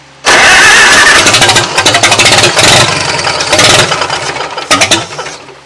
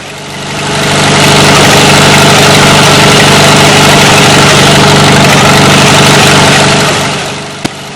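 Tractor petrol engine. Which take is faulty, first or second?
first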